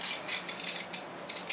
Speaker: now you're starting to hear the servos kind of clicking a little bit now listen that's the as3x processor trying to figure out just what the heck am i trying to do here